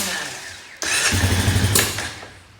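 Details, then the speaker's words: 2001 Honda Foreman 450 ATV after sitting, barely any fuel in tank, not taking throttle well: fires briefly with ragged, uneven burst for about a second then fades and stops; owner suspects it ran out of fuel. "Yeah, I think it's out of fuel already."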